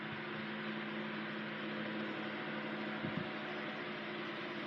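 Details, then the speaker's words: 1980s Sanyo 9-inch oscillating fan EF709R oscillating, oscillator freshly greased and motor freshly oiled: steady even low motor hum with soft airflow hiss, no clicks or grinding while swinging; normal healthy operation. "And here it is on oscillation. It oscillates very nicely. Gave it some fresh grease, so. And of course the motor got fresh oil. Yeah, it's a really nice runner."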